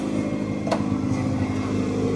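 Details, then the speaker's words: Rust-affected 2001 Acura Integra GSR, original-owner car, first start after brake and fuel line replacement, idling in neutral: steady idle with loose, tinny clatter on the exhaust pulses; exhaust sounds clanky, suspected exhaust rattle, otherwise runs. "The exhaust is kind of clanky, but that's all right."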